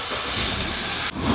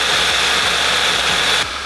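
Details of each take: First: Audi A5 after misfire codes were cleared and it was restarted, run for about five to ten minutes: steady even hum with a brief dip, no knocks or misses; smooth idle with no check engine light, owner thinks it's fixed. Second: Audi A5 being rebuilt after a cooling system replacement and airbag install, restarted after a coil test: uneven, stumbling idle with lumpy low thumps about four a second under a loud hiss; scanner shows misfires on cylinders 1, 3, 4, 2.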